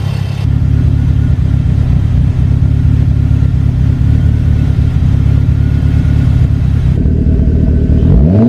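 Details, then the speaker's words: DSM Eagle Talon after new head gasket and transmission rebuild, running about ten minutes: loud, steady deep even drone with no knocks or misfires, then a quick clean rev; healthy running. "this thing's been running for ten minutes maybe a little bit more and so far it is just like perfect I could not be happier"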